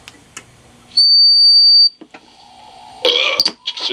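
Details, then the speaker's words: 1940s Standard Business Machines model 160 Magnescriber Deluxe wire recorder: sharp, steady high whistle holds about a second, then cuts out, an amplifier squeal. It sometimes nearly goes away; owner suspects a bad solder joint. "sometimes if you're being just right it'll go pretty much going away so I'm thinking there's a bad soldering going in there forever"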